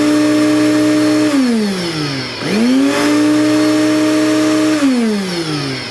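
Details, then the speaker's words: Commercial shop vac after replacing the worn top-plate motor bearing, reassembled with filter on: smooth steady motor whine winding down and spinning back up cleanly, no rattle or grinding; normal run after repair. "that sounds a lot better than that old mechanism that was in there make sure it's sucking it's sucking it sounds so much better it sounds a lot healthier"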